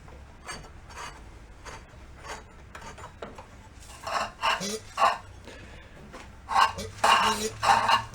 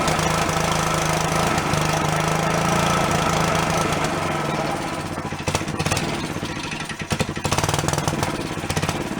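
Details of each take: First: Yerf-Dog go-kart with CVT, sitting many years, engine turned over slowly by hand: uneven scraping, gritty crunches with each pull; owner suspects something in the starter cover; not confirmed. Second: Long-stored Yerfdog go-kart single-cylinder, now running on its own without thumb-choking: fast, slightly uneven idle but keeps running; owner thinks a blocked passage or vent suddenly cleared.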